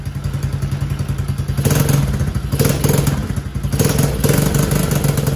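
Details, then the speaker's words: TAO 110cc ATV, original engine with only 50 psi compression: fires up and idles with small single thumps, but blips swell briefly and bog with no real rise; won't throttle up or pull, engine to be swapped. "See what it does there? It just ain't got enough poop in the shorts because it only has 50 pounds of compression."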